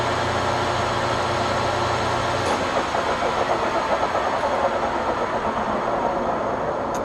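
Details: Webb Whacheon lathe on a phase converter at the 510–710 rpm settings: even steady motor hum and spindle whir with no bogging or cut-out over several seconds; running normally, no converter trip.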